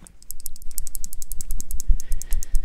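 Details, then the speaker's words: Damned Designs Djinn ("The Banana") folding knife shaken near the microphone: quick, sharp metallic ticks, about ten per second, from a loose internal rattle; owner unsure whether from the knife's back end or the bearings, before disassembly. "there's a different definite rattle coming on i i don't want nowhere with i don't know if it's coming from the back end of the knife or the bearings"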